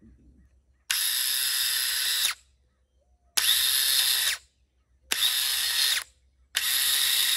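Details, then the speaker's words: 2003 Yamaha Grizzly 550 ATV starter tested off the machine: four short bursts of harsh, rattly high whirring; starter binding internally, likely rusted and jammed, previously needed hitting to free; replaced with a new starter. "And I can tell with that racket it's making. So we just went on and purchased a new starter because, like I said, this one here was jammed up."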